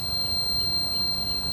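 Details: Homelite-Jacobsen rider with fried interlock electrics: steady high beep over low engine murmur as the interlock sends the kill signal, engine dying while the blade is engaged.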